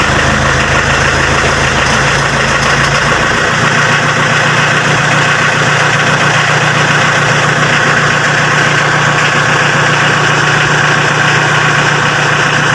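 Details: Mitsubishi L300 diesel after repair of its cold-start heating system, which had made it hard to start when cold: steady, even diesel clatter at idle with no misses or surging; engine running healthy.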